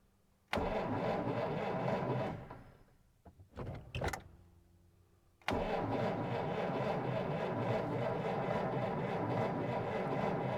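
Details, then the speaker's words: 1947 Dodge D24 Deluxe, unrun over 6 months, owner suspects ignition issue, cranked with a little choke. Rapid starter churn at about three beats a second, a pause, then more cranking; it nearly fires but won't run. Lots of fuel is sloshing around. "man we almost got it barked off but not yet"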